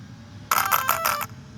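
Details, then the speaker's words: Arrma Big Rock 6S, Spektrum Firma 150A ESC powered up on a 5S LiPo: short string of beeps as it counts cells; it expects 6S and rejects the 5S pack. "Yeah, I see what they're saying. It's counting as 6S. You can't do 5S on this."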